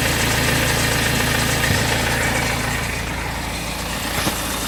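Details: BMW 520d diesel at idle: fast, fairly even rattle about four per second over the diesel clatter; owner suspects timing chain, unconfirmed.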